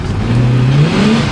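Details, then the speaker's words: 1966 Ford Country Sedan wagon, old MX Cruise-O-Matic automatic (lost 1st, 2nd, reverse; vacuum modulator replaced, no change): engine whirs and revs climb and hang with no take-up, as if in neutral; no shift into first gear. "And then you hear it go into that whirring again, and nothing. See, now I can move forward a little bit. If I let off, it kind of idles through, just more like it's in neutral, not in anything else."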